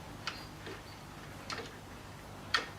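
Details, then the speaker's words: Sieg X2 mini mill (Harbor Freight/Grizzly) spindle drive in high speed during CNC conversion strip-down: sharp clunks about once a second over low motor hum from stripped gears inside the spindle gearbox. "now you can hear it Go clunk clunk yeah hear it so the gears I have stripped in there as well"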